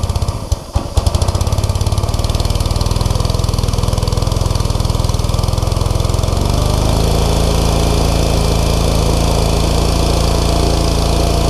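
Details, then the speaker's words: New Simpson ALH3228 pressure washer on its first start, choke moved to half: the small single fires evenly after a few rough catches, then is throttled down to a steady lower-speed warm-up run. A normal warm-up idle. "all right we got it throttled down right now i'm gonna let it warm up for just a few minutes and then i'll crank it back up to full throttle and we'll see how it goes"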